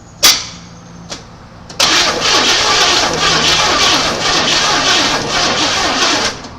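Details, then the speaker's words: 1980 Chevy C30 dually, first start attempt after sitting 26 years, gas poured in carb: a few clicks, then the starter grinds slowly with a labored rhythm, engine never catching; weak battery, owner says it needs a starter. "come on sounds like it wants to yeah we're going to need a starter"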